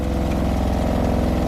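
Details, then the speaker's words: 2020 Rockwood Geo Pro 19FD RV water pump heard from inside while winterizing, hopefully drawing pink antifreeze from a bucket: steady rapid even pulsing with low hum, no stumbles or surging; pump running smoothly. "we're going to hit the pump you can hear it running in here gonna run for a little bit"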